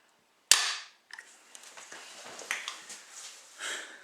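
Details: Savage Axis/Edge rifle fired with the bolt about halfway open: one sharp metallic snap, then faint handling rattles. The striker falls with the bolt not closed, giving a light strike that only dents the primer and causes a misfire.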